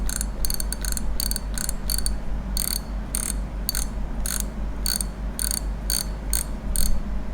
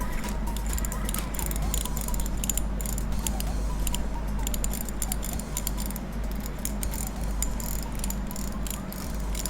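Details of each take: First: Daiwa Revros LT 4000/6000H (2019-2020) spinning reel after modifying the too-quiet drag clicker: crisp evenly spaced ticks about two a second as line pulls; clearer than before but still not loud or ringing. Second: Daiwa Revros LT 4000/6000H (2019-2020) spinning reel after drag clicker adjustment: faint rapid light ticking as the drag turns, somewhat clearer than before but still soft and easily lost; weak drag clicker.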